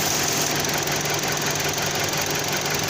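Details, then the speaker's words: 2009 Dodge Journey with rough idle and overheating: after cleaner is sprayed around the intake, the idle stumbles and RPM changes, revealing an intake gasket vacuum leak. "Now it's running really bad. Now it's changing RPMs."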